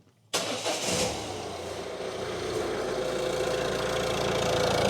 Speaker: Perfect. Like a little singer sewing machine.